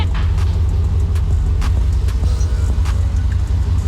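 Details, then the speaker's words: Jeep LJ with LS-swapped cammed 5.3 V8 on a Holley Terminator X Max ECU, first start, idling near 1000 rpm while self-tuning and warming up: deep lumpy steady rumble, no knocks; runs better than before, normal. "first test fire it already sounds like it's running a lot better we're going to let the engine get up to 10 because holly and that's like the self tuning so we're going to let it warm up a little bit"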